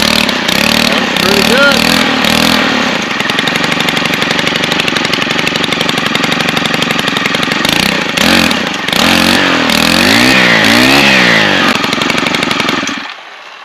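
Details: Stihl KM 90 R after short block replacement, started on choke with primer pumped: fires up and holds a fast, busy buzz with some hunting in speed, then shuts off. Running fine after the repair; carburetor fine-tuning planned.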